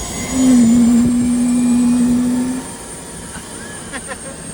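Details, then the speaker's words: Boeing T50 turbine-powered Camaro, wheels up, in gear after topping up transmission fluid: steady smooth jet-like roar with a constant high whistle, no surging or rattles as it pulls. Normal turbine running under load. "This is gonna sound wild. Sounds like a jet flying overhead."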